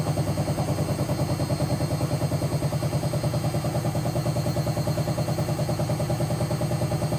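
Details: Hotpoint BHWMXL145 washing machine test spin: loud, heavy, low pounding about two beats a second as the drum turns; two drum spider arms snapped and drum cracked at the back, letting the drum wobble, not the bearings.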